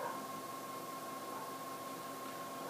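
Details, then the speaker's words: PowerMac G4 MDD (dual 867 MHz G4) booting: steady airy rush with a thin high whine from the two small power supply fans; very noisy but normal for this machine. "you can hear it is a very noisy computer that's mainly due to two small power supply fans that it"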